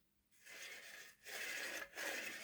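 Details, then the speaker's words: Hornby R.372 Class A4 "Seagull" model locomotive, tender drive, after filing rough sliding valve-gear parts: short runs of soft whirring and light rubbing, no harsh scrape. The rough metal scraping, amplified by the body, was the owner's mystery noise; now normal slight noise. "that now sounds a lot better. They always make a wee bit of noise, but that's not making that scraping sound anymore."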